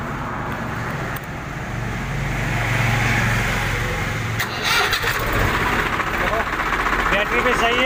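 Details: Swaraj 735 FE tractor with a Lucas TVS starter, after the starter was opened and cleared of a clicking no-start fault: the starter spins the diesel over with an even, steady churn and the engine catches; cranking sounds strong and healthy.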